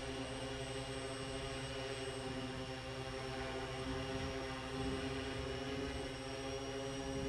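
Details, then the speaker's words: VTOL hovering during Ardupilot 4.6 QuickTune: steady propeller drone and motor hum, with a rougher shaking buzz creeping in. QuickTune gradually raised the gains until the control loop oscillated, then it backs them off. "It takes a while because it's gently increasing the gains."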